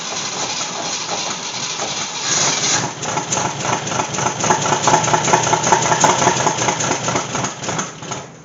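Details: AMC Gremlin with unknown 290 V8 from a 1968 Javelin, sat over 15 years, no fuel in tank yet, after replacing cheap faulty ignition parts: catches after short crank, settles to even steady idle, no misses or knocks; normal start.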